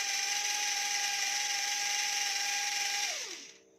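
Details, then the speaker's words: E88 Pro toy drone opened up because one propeller would not spin; small motor whines at a steady high pitch for about three seconds, then abruptly winds down and stops, controls heavy, it worked earlier but now cuts out intermittently. "Hah, tetap saja tidak akan berhasil, teman-teman. Tadi berhasil, teman-teman. Mengapa sekarang tidak bisa berfungsi?"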